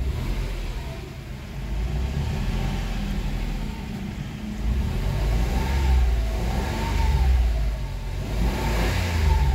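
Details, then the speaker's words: Mitsubishi Mirage automatic, cold engine with vibration and unstable idle: revs rise and fall in slow swells lagging the throttle, pulling strongly only around 3,200–3,500 rpm; delayed response, sluggish rev response. "maririnig niyo yung galit ng makina nasa mga 3,500 3,200 to 3,500 bago mo maramdaman yung galit ng engine"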